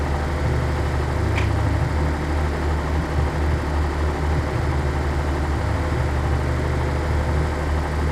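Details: 1983 Nissan 280ZX Turbo, cold engine: loud, low idle with slightly uneven, wavering rumble. Rough cold idle. Cause unconfirmed; owner suspects fuel injector, fuel pump or fuel pump damper, throttle switch or airflow meter binding.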